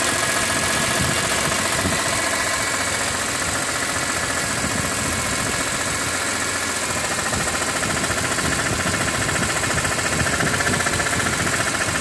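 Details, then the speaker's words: 2006 BMW E46 M3, 42,600 km, oil temperature above 80°C: warm idle with fairly regular light knock about four per second; abnormal engine noise, owner wonders if oil pump, cause unknown. "音が出ます。なんだろう。オイルポンプとかだったらわかんないな。"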